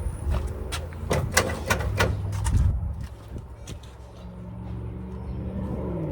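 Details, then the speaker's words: Moonshiner hot rod first start in about 7–10 months after crash overhaul, no throttle: uneven lumpy thumping and stumbling before settling low; misfire, owner suspects crossed spark plug wire. "That easy. We got a plug wire crossed or something. I never touched the gas."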